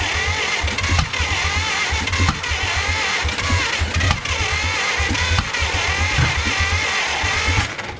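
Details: Abandoned 1950 Dodge Pilothouse truck with a flathead six, plugs dried and fed gas: a long run of starter churning with a few ragged half-fires in between, but it never catches.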